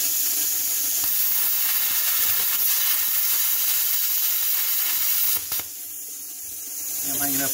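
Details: Hynade PLC-50DP budget pilot-arc plasma cutter: loud steady airy hiss while cutting, dropping to a softer rush of post-flow air set to about eight seconds (adjustable 2–20 s); running normally.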